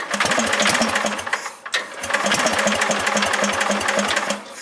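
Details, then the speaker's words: Bolens GroundsKeeper or 1054 Husky garden tractor, cold start with leftover fuel: uneven, stumbling clatter with irregular beats and a dip midway; engine running rough. Owner suspects the carburetor. "why she is not a happy camper yeah I've an ego that carb"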